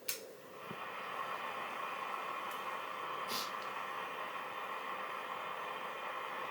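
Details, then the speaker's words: National Panasonic RQ-434DS boombox radio section, tuning dial makes no difference: steady static hiss with station barely audible underneath; weak reception, suspected faulty mixer transistor. "i can vaguely hear the station but they'll be getting very nothing out of it so it would have to be one of the mixer transistor"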